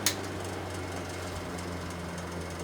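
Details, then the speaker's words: Faint fast ticking over a low motor hum at high speed from a mid-1950s Fasco 12-inch 3-speed box fan, model 1246 with venturi ring; it sounds very dry, owner suspects loose blades or a dry motor needing oil. "something makes a little noise in there doesn't shake that much"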